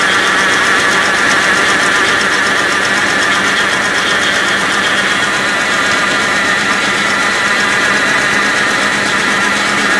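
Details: 1984 Rolls Royce Corniche V8 after engine rebuild, warm-up regulator unplugged: loud hissy running with uneven undertone; misfire plus exhaust leak at manifold-to-downpipe connection, to be tightened.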